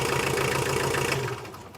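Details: Tata Winger diesel after timing belt replacement and repair of bent valves, starting: catches and settles into an even clatter for about a second before fading; clean, normal start.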